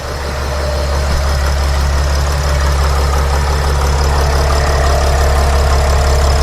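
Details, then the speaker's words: Sprinter van 3.0L diesel after engine oil cooler replacement, glow plug and check engine lights off: even steady idle with low regular clatter, no misses or knocks, no leaks; normal idle after repair. "the engine is running the engine sounds good good job guys we did great work this is fixed I like how the engine sounds there are no leaks around the engine"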